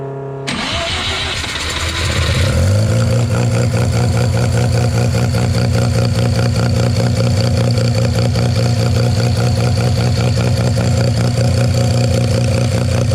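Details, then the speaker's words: 13B rotary with EMPI IDA carb after float raised just over another half mm from about 5.2: cranks, catches in a couple of seconds, settles to steady even idle; no fuel spilling down boosters, overfueling fixed. "righty we've got no overfueling um anymore so I think we probably pretty much bang on"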